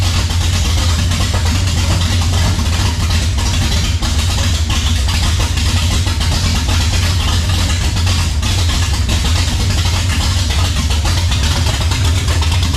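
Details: 454 big block Chevy on run stand for a 1967 Camaro, cold start after fuel issue mostly sorted: deep, steady V8 rumble holding an even beat throughout; normal cold-start running.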